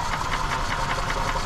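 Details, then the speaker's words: 2004 EZGO TXT gas golf cart cranking during compression test, even rhythm about five pulses a second, no stumble or hiss; cylinder reads about 130–140 PSI, good; cart was a little hard starting, valves suspected and to be adjusted. "so about 130 140 PSI so that cylinder is pretty good so it's it sounds like to me that it's just valves"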